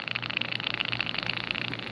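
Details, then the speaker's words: 2002 Yamaha FZ1 that sat 8 years, in 100-degree sun with varnish bubbling at the fuel cap; steady high-pitched hiss with faint bubbling as the cap turns slightly; pressure escaping from a fuel tank that isn't venting. "It was turning a little, but Oh my god, it's not venting. There's crazy pressure in there."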